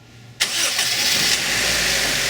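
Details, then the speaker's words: Honda after replacing rattling timing-belt-driven water pump and timing belt: quick crank catches and settles into steady, even idle with no rattle; rattle gone. "and there we go all the horrible rattling noise is gone got a new water pump and a new timing belt"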